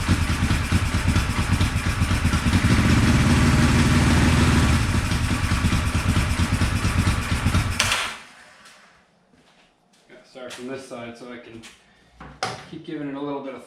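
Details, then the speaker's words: 1974 Honda CB450 twin, sat for a couple of years after restoration, runs loud and rough with lumpy firing and a chuffing note before cutting out, on throttle during a timing-light check; timing is about 20 degrees off (retarded). "I didn't have time to mess with it last night but the timing was way off like probably 20 degrees"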